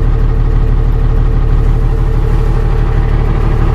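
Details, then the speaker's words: Dodge Ram Cummins 12-valve diesel with ultracapacitor bank wired in parallel to the starting system, restarted after an earlier start, charging at just over 14 volts: deep, steady diesel clatter with no misses or knocks; healthy idle. "just over 14 and the vehicle and - and seems to be idling really nicely"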